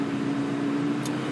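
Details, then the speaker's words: Ford 6.7L Powerstroke doing a static manual DPF regeneration at the dealership, held at high RPM once conditions are met, with exhaust gas temperatures being monitored. It gives a steady, even drone with a constant tone: the forced regeneration is running normally. "so our conditions been met and we are starting the actual regen process and you can see it monitors all the sensors down there the actual uh exhaust gas temp"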